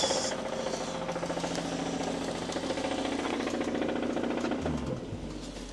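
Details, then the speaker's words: 2016 BMW M135i, stage 2 remap, engine blown after a car meet: revved from the accelerator, a rapid uneven metallic knocking and ticking runs through the whole engine, about three or four a second; top end or bottom end can't be told. "it just sounds like the whole engine I can't tell if it's the top end or the bottom end I can't tell at all"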